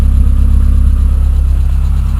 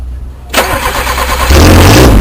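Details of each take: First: Peugeot 106 1.1 after head gasket replacement and spark plug cleaning and replacement, some foggy exhaust likely oil and water: deep, even, pulsing engine note without stumbling or misfire; running cleanly and much better. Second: 1.1 Peugeot 106 first start after head gasket replacement, downpipe bolts not yet tightened: cranks, catches and revs, then loud lumpy uneven idle with one cylinder dropping out; misfire.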